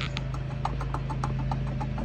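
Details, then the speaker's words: Ford F450 Power Stroke during belt service: dry regular ticking and clicking over a low hum as the idler pulleys turn; both idlers have play and worn bearings, so they are being replaced. "Alright guys, well, as of course, you can hear that, but I don't like that idler. I also don't like this idler."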